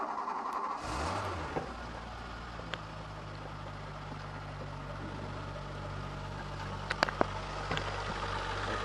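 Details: Renault Alpine V6 Turbo (PRV V6) after years abandoned, running on a lithium battery after a stuck injector was replaced: quiet, steady low drone with a few stray clicks; engine sounds settled, running normally.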